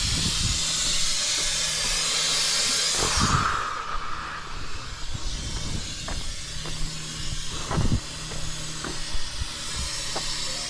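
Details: Truck AC with a newly installed compressor: loud, steady hiss for about three seconds, then dying away, as refrigerant escapes from the bottom of a blown AC line, not the compressor.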